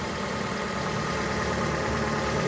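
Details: Fiat Uno Way at idle with the oil light flashing and a gauge showing low oil pressure though the oil level is fine. Rough idle with dense mechanical clatter, heard when cold and likened to a cane mill; slight revving. Oil pump suspected.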